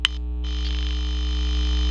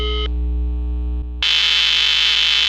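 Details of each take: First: Intelbras Modulare/Conecta PBX with no extension dial tone, terminal 1 lifted off the board, powered: steady low hum and even hiss on the extension, no tone; the matrix is suspected of injecting the noise, unconfirmed. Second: Intelbras Modulare/Conecta telephone exchange under repair for a missing extension tone: a clean, steady dial tone at the op-amp, normal, lasting about a second before loud hiss from the matrix takes over.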